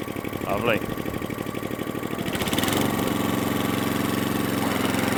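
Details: Atco Balmoral cylinder mower, unrun for 9 years after shed storage, engine stumbles briefly then settles into a steady, even beat with no misses after more fuel was given; fuel mixture sounds right now, cylinder and drive working.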